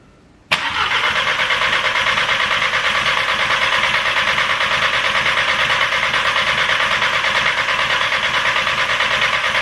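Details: Audi TT with a freshly rebuilt turbo engine, new plugs, first start: catches and settles into an even idle with a raspy chuffing off-beat exhaust note from a leak at the downpipe only loosely bolted to the turbo.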